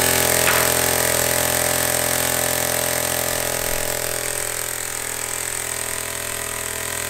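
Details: Homemade compressed air engine with a leak, before adding a throttle: quick, even chuffing about four beats a second with steady airy hiss; runs smoothly.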